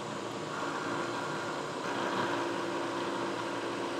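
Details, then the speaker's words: Manual Bridgeport milling machine facing cut through metal, described as aluminum: steady, even spindle and cutter whir, no chatter or squeal, leaving a silky smooth finish; normal facing cut. "again folks we're cutting through metal right now I think is pretty cool"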